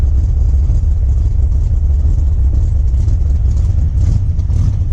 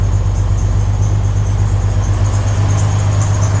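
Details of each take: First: Jeep Wrangler 4.2L six with Comp cam, before the timing fix: low, choppy idle with an uneven lope as if only some cylinders fire; ignition timing at 57 degrees dumps fuel and floods it until it clears, mistaken for cam lope. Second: Jeep Wrangler 4.2L with new Motorcraft 2150 carburetor, cold start after two pumps of gas: steady, even idle, slightly high because cold, no stumble or miss, some belt squeal noted; normal cold idle.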